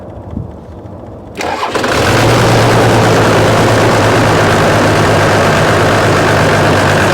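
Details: 1993 Dodge D350 Cummins turbo diesel, abandoned 18 years, first start with suspected stuck injection pump: cranks, catches, settles to lumpy low idle with uneven beat; one cylinder dead, no compression.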